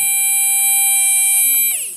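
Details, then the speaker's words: Good brushed micro quad motor (Tiny Whoop class) powered directly from a LiPo, held near the mic: high, clean whine at steady pitch, smoothly spinning down with no crackle; normal brushed motor run. "But anyway, the sound is the important bit. So this is a good motor."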